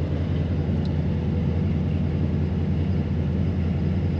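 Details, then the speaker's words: Supercharged Ford Mustang GT V8 with big injectors that won't open under 1.1 ms, after new tune file: deep, steady burble holding one speed without hunting; revs drop to 1200 then settle at 1000 rpm. Normal idle. "the revs drop down to 1200rpm and then slowly lower down to 1000rpm, because this car doesn't like running under 1000rpm, and there's a specific reason for that: this engine has big injectors installed on it, and they don't open under 1,1ms."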